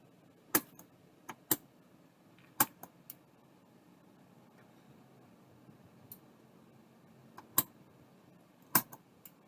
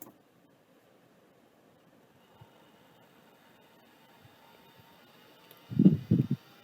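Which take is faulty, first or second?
first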